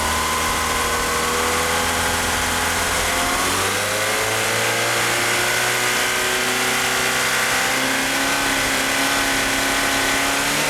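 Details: Car fitted with 850cc fuel injectors is unable to rev up and runs rough: revs climb slowly and unevenly, pitch wandering under throttle; power steering pump belt is slipping. Cause not confirmed.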